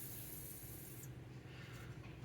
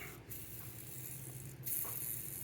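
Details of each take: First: Skateboard bearing spun by hand after cleaning with 91% alcohol, before oiling: a quiet, even hiss with no ticks or grinding; it sounds clean, normal bearing spin. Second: Skateboard bearing with many miles on it, hand-spun after alcohol cleaning: a gritty, hissing whir that fades unevenly instead of spinning smoothly; rough, possibly worn out.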